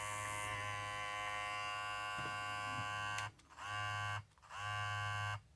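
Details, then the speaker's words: Babyliss 870 hair clipper about five months old, after replacing blade to cure loud noise: steady even high buzz, cutting out and restarting cleanly twice, no rattle; normal clipper running after repair. "Alright, let's see if that sounds any better. It should sound a lot better. Yeah, sounds a lot better."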